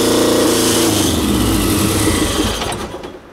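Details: 1973 VW Super Beetle with a turbocharged Subaru EJ255/EJ251 hybrid engine, after the air temperature sensor was plugged back in; it catches and runs with a quick, fairly even beat for a few seconds before dying down; it is smoky.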